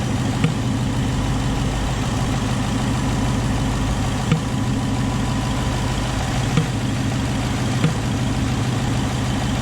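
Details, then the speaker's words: 2019 Mustang GT PP1 with Lund 93-octane tune and JLT cold air intake, hood open: steady V8 idle with sharp irregular pops seemingly from the intake, not heard with hood closed; cause unknown. "so you can hear it there it's popping away I don't know what it was but it seems to be coming from the intake"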